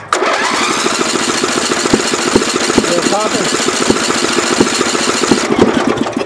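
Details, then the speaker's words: 32-year-old Craftsman lawn tractor, 11 HP Briggs single-cylinder engine, cranking while hot: steady cranking with uneven pops, never starts after bogging when blades engaged; owner guesses sheared flywheel key; valve job needed. "when I was trying to start it and it was still hot it just kept pop pop pop popping"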